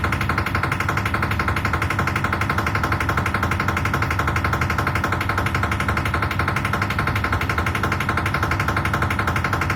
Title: IFB Washing machine making noise 10kg aqua